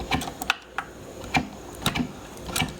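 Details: Garrard Zero 100 S turntable run on its side after clearing the gears: dry light clicks and ratchety taps about every half second as the auto-cycle gears cycle freely, no binding.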